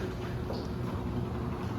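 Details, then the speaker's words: Newly installed Chamberlain 248739 belt-drive opener just after belt tightened: steady low hum, even drone, no grinding or catching; motor runs smoothly, normal. "I might back it off. But the motor sounds good. Runs pretty good."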